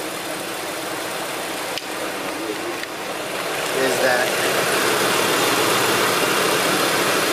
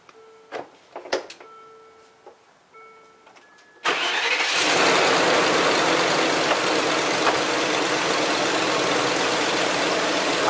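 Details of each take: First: Land Rover Discovery 2 at idle after fan clutch replacement (coolant temperature had risen from 194 to 199 in traffic): even fan whoosh that swells slightly, no wobble, rattle or scrape; a separate exhaust leak is present. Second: Land Rover Discovery 2 at first start-up and idle after a fan clutch replacement: a hissy, rapid, even puffing runs through the idle, the sharp chuff of a leaking exhaust; exhaust leak.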